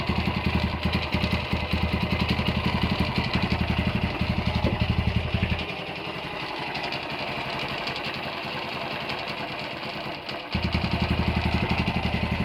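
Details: Honda GL100 (GLK 100) single-cylinder motorcycle engine before rebuild, idling with a quick, busy rattle that eases and returns with throttle, noisy at the clutch side; top end quiet, engine smokes and leaks oil below; loose primary gear rattle.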